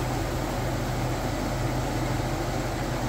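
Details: 2000 Chevy Express 2500 van, 5.7L V8, after replacing radiator, water pump, power steering pump, hoses and thermostat, no leaks: steady, even low rumble with no knocks, ticks or squeals; runs smoothly and sounds healthy at operating temperature.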